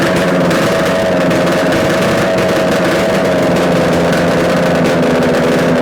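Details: Yamaha RD250 two-stroke twin on a test-stand mount with total-loss ignition, revving after coil wire swap and carb adjustments; loud, crackling, raspy even note, no knocks or rattles, smoking; running normally, likely a good engine.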